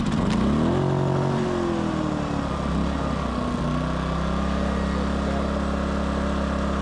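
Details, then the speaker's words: Westinghouse iGen 2500 inverter generator, already warmed up, after its carburetor problem was fixed. Switched to run with efficiency mode off and given one pull, it catches at once and settles to a steady, even hum with no hunting or surging. Normal running. "now uh this thing starts no problem so switch it to run cuz it's already warmed up"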